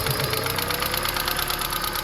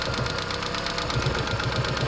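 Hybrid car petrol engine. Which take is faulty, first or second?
second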